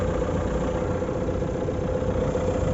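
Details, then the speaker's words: 2019 Renault Megane IV 1.5 dCi K9K 872 diesel, warm idle after about 5 minutes in frost: steady even rumble, cold-start pulley noise gone; cause was the crankshaft damper pulley, replaced. "если 10° соответственно минут пять пока не прогреется вот так работает после примерно 5 минут"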